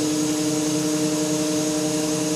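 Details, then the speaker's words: BMW E31 840Ci EV conversion on the bench, automatic gearbox in park, topped up with fluid, in fail-safe mode with no controller so pressures are at maximum; smooth, steady electric whir with an even whine, normal running. "Now she's feeling the load, pressure's coming on. Man, that sounds good. Now we're running the box in fail-safe mode."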